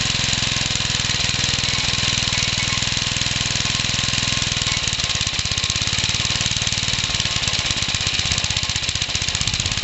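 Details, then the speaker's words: Homemade engine combining a Suffolk engine with old 1950s and Briggs parts, on its first run at fast idle: a hard, rapid metallic knock on every turn over a busy single-cylinder clatter. A big end knock, as expected, though it is not very smoky. "definitely got that big end knock just as i thought it would but it's not very smoky"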